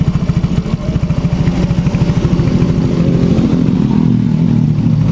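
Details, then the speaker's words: Yamaha X-Ride scooter, complaint of heavy, sluggish running, pungent exhaust and high fuel use: uneven stumbling putter skipping beats as rpm is raised, bike shaking; stuttering misfire. "jadi suara mesinnya saat kita naikkan RPM Sedikit nih beginilah motor bergetar dan ceden"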